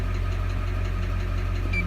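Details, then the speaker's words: 2001 Chevrolet Duramax 6.6 diesel warm idle: steady light tapping over the low rumble; suspected number 6 injector, later confirmed bad by scan-tool injector disable and out-of-range balance rate (-7.1). "And what I got going on with this is we got a kind of crazy tapping noise coming from the engine."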